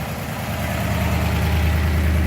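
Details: 1956 Ford Fairlane Victoria with a 292 V8 and Ford-O-Matic transmission, partially restored, choke coming off and idle being brought down: deep, even burble holding a smooth, steady idle with no stumble or hunting. Normal idle.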